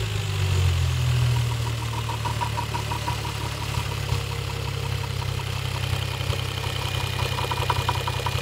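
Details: Toyota 1JZ-GTE VVT-i engine at low steady idle with a light, uneven tapping about three to four per second; engine knock.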